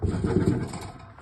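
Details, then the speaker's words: Makita LS0815 mitre saw, badly damaged: a rough gravelly grinding growl under the motor hum as the saw spins and winds down; the grinding is horrible, source not pinned down. "Ground here, just as bad as it gets. You hear the grinding on that? Horrible."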